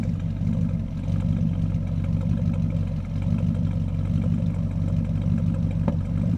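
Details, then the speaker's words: Charger V8 with a big temperature difference between the left and right banks, not yet warmed up: lumpy, loping misfire at idle with occasional exhaust pops, possibly backfire, detonation or knock. "You can hear it in the sound, too. It's misfiring. And it makes a pop every once in a while."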